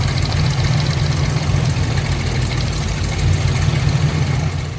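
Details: 1997 Lincoln Town Car V8, sat two years after timing chain failure: deep, loud idle with a lumpy, uneven low-end beat, missing on some cylinders; pulling plug wires barely changes it, tune-up with new spark plugs planned.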